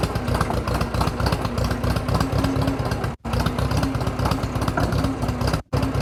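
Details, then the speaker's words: Drott T340 skid shovel: choppy, uneven idle with beats dropping out irregularly and a clattery background; engine misfiring. "i want to check for oil in the transmission or water in the transmission and final drive you can hear it's misfiring for"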